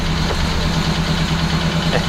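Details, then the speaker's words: Detroit Diesel 12V92 fire truck, just cold-started after a week unused, idling just over 100 rpm: even low loping beat with a faint light tap, a tappiness it usually has at startup. "we're idling it just over 100 rpm um a little bit tappy but it's always ever since the senior's gone in it was a little bit happy when it first starts up"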